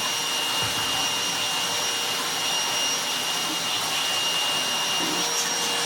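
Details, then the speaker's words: Goblin Solo vacuum cleaner after restoration with a bodged motor and sealed bag door, hose unclogged: even steady airy rush with smooth motor whine, no surging; airflow restored. "When you don't clog the hose and make the door shift and do whatever it does to lose the suction to let it crack on, it's got its air flow back."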